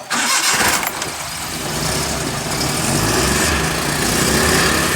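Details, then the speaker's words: Suzuki Mehran (Euro) with a no-start fuel problem, just after fuel pump repair restored petrol flow: cranks briefly, catches quickly and settles into an even, steady idle with no misses. Normal start. "देखिए दोस्तों, ठीक है, स्टार्ट हो रही है बिल्कुल उसकी।"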